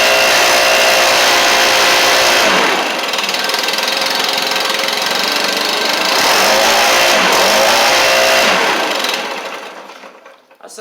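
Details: Stihl BR700 backpack blower after fitting a new Hyper carburetor kit, run up after some choke adjustment: high-pitched two-stroke climbs and drops through the revs cleanly with no stumbling or bogging; running healthy.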